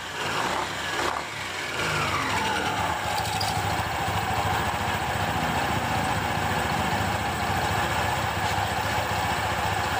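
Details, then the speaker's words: 2021 Honda PCX 160 after a CVT service with cleaning and special grease, no parts replaced: revs rise then settle into a smooth, even drone; the earlier clacking at idle and sudden throttle is gone, so the CVT is normal. "ya suara kelak-kelak saat Dias mendadar sudah tidak ada ya di bagian depan [Tepuk tangan] oke suaranya seperti ini normal"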